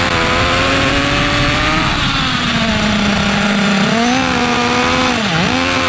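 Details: OFNA Mutillator nitro RC buggy from 2006, rusted and restored: loud, raspy high-pitched buzz sags and wavers on first start, running too rich and loud, idle trim being tuned to lean it out.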